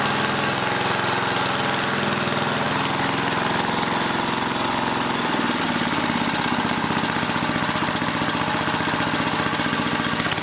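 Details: Old 1980 rototiller small engine with rapid busy chatter wandering in speed and dipping midway; the throttle link, bent and distorted by someone, is hanging up and making it hunt, so the mechanic tries straightening it.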